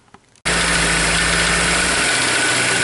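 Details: 2003 Honda S2000, over 100k miles, misfiring in all four cylinders: a fast, light clatter over a steady idle, louder at idle and not following rpm, from the front of the engine. A timing chain was suspected first; a rod bearing knock is likely.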